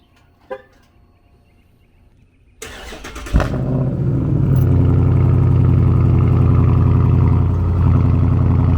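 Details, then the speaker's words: Dodge Charger Scat Pack V8 cold start: starter whirs briefly, engine catches with a sharp bark and settles into a loud, deep, choppy, raw high idle; normal cold start. "cold start on my Scat right now."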